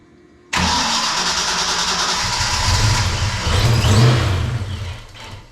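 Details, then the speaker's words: Ford Mustang project car after fuel system replacement, first fire-up, distributor previously left unplugged: catches abruptly, runs ragged, surges then dies; ignition timing far off. "okay we're pretty far off on timing so hang on a second let it die we're not quite there yet"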